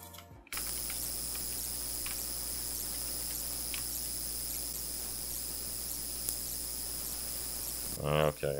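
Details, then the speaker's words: Home-built 3D-printed open reel-to-reel machine, playback from the board output: only a steady low hum and faint hiss, with no recorded signal. "it does sound pretty awful and it's nothing but interference from the motor"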